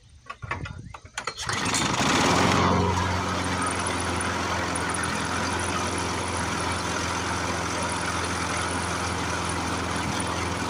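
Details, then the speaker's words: Briggs & Stratton 6.0 hp single-cylinder mower engine, seized from long sitting, run on ether after flooding, varnished sticking needle valve. Catches after sputters into a steady, slightly uneven run, smoke starting to clear. Smoky running after storage. "um it was starting to clear the smoke out of it there at the end but the ether is a little bit hard on it"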